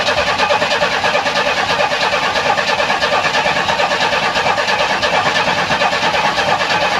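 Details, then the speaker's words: 1994 Chevy Astro van after engine replacement, first crank attempt: steady starter churning about three turns a second with no catch; no start, fuel pump replaced in tank a year earlier; owner unsure whether no fuel pressure or no spark. "okay no start I don't know if I have no fuel pressure or I have no spark"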